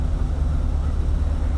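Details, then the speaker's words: Woodgas-fuelled truck idling with the blower off, idle raised very slowly by hand at the mixer valve: low steady rumble with a faint uneven rise and fall, a mild surge; the servo let the engine suck the valve open, leaning the mixture. "I mean I'm doing this a hair at a time it's also surging just a little bit see"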